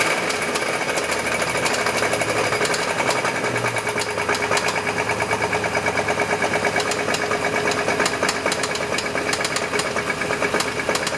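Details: Chevy S10 at idle: sharp metallic knocking, about three a second, isolated to the engine; owner suspects rod knock, not confirmed.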